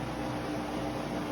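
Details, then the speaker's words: Kenmore washer after replacing springs to cure banging; smooth even whir during agitation, no banging or knocks, running normally. "You can hear it whirring up there."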